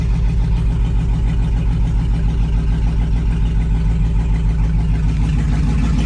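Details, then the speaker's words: 2002 Chevrolet/GMC 2500HD parts truck of unknown history, very high mileage: steady even low rumble with smooth regular beat and no knocks or ticks; idles healthy with over 40 psi oil pressure and alternator charging. "holy smokes man holding more than 40 pounds of oil pressure alternators charging"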